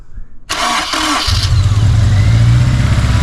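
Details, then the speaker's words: 2006 Honda S2000 AP2, 4-cylinder, wrecked rebuild: catches quickly then settles into a lumpy idle with a skipping beat; misfire persists after a fix attempt, owner suspects an injector, not a burnt or bent valve. "Nope, man. Little better, but still got that miss. You can hear it."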